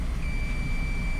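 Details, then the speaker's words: Nintendo Switch repair, multimeter continuity test across a resoldered filter: steady unbroken high beep showing continuity and a good solder joint. "Hope hopefully you can hear those beeps. And then um I'm trying to think of how I can do this."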